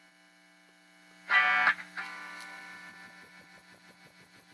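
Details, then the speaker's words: Tube bass amp with no tremolo circuit develops a steady amplitude wobble of about three pulses a second after a control-grid bias adjustment; cause not pinned down, possibly tube-related. "oh oh now we got trolo going"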